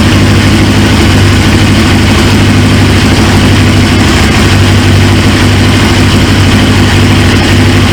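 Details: 1999 Suzuki GSX-R 750 with a used replacement engine fires straight up once fuel pressure builds and settles into a steady, even idle, a deep constant rumble with no misses or surging; healthy, but the tank quick-connect leaks fuel, O-ring suspected.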